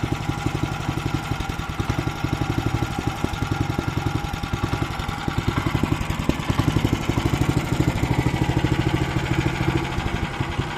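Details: Weima single-cylinder engine at idle with revs hunting, loudness and speed drifting up and down; carburetor most likely suspected, possibly the speed governor; carburetor to be removed and cleaned.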